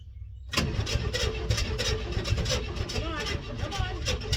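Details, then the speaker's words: 1964 Chevelle Malibu 230 inline-six, first start after 34 years, cranking after letting the battery charge. Steady starter cranking with uneven coughs and half-catches that never build to a run. "Oh my goodness. It's so close. Come on. Oh, come on. Wants it. Wants it real bad."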